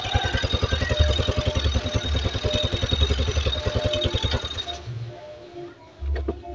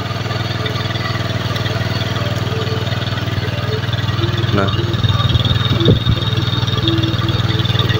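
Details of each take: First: Honda Beat carbureted scooter (owner complained of high fuel use), air filter off, plug not yet replaced: an even, steady putt-putt idle with no hunting; RPM now more stable than before. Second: Honda BeAT carburetor scooter the owner says uses far too much fuel, idling with RPM set too high; revs swell and drop instead of holding steady; hunting idle, possible causes torn ACV membrane, vacuum rubber, faulty auto choke or valve settings.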